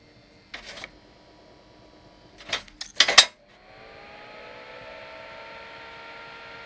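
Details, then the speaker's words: Anycubic i3 Mega 3D printer, original 50 mm control board fan before a planned swap to a low-noise fan: a few handling clicks, then a soft, steady whir with faint tones as it spins up; quiet and normal. "although this one is quite quiet this is a 50 mil fan and this is what it sounds like"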